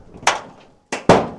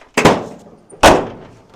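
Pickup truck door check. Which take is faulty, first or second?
first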